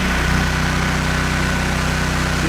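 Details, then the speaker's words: Free generator running with its AVR plugged in, no load, output pot still needing adjustment: smooth, even engine beat with steady hum, no hunting or misses; normal running. "no load look at that generator doesn't even notice that"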